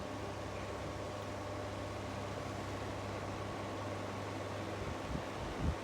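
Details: Two Indola 10-inch desk fans, 1960s and 1970s, compared running: even motor hum with soft airflow rush, no rattles or wobble; one is far louder, the other basically silent, one of the quietest fans; normal running.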